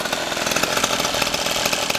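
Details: Pocket cross minibike two-stroke restarted after clearing a clogged carburetor and fitting a new one: crisp, buzzy note revving high and steady with no misses or sputter; normal revving.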